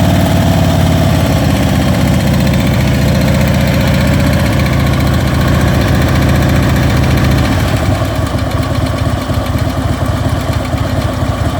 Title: Ticking sound Ultra Limited